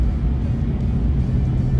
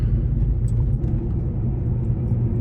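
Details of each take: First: Gen 1 Ford Raptor, 11 years old, 125,000 miles, coasting after rear differential gears were replaced to fix a rear-end whine: only low road rumble, no gear whine rising or falling with speed; rear differential now quiet. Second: Gen 1 Ford Raptor, 11 years old, 125,000 miles, coasting off throttle at speed: steady low drone under road rumble, a combined grind and whine from worn rear differential gears, masked when radio or AC is on.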